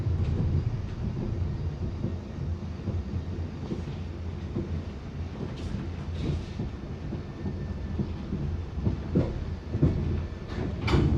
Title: Bakerloo line 1972 stock Continuous popping sound after departing Stonebridge Park September 2022